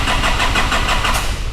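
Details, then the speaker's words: 2005 Nissan Navara D22, ZD30 3.0 L turbo diesel with rotary (non-common-rail) injection pump: starter cranks evenly at about six or seven compression beats a second but engine never fires; crank no-start, cause unknown, fuel pump under test. "it cranks but it does not start now when i'm making this video i just gotta warn you guys i do not know 100 what is wrong with the this engine it does not start it cranks"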